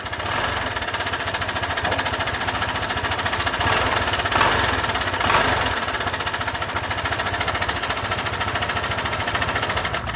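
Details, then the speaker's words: Honda PCX scooter at idle with sudden rough noise: fast, uneven rattling tick about three or four per second traced to the cam chain, not worn but its tensioner setting misadjusted. "i masalahnya sedikit berbeda yaitu suaranya suara itu terdeteksi e dari rantai ketengnya tetapi bukan rantai ketengnya yang rusak cuma setelannya saja"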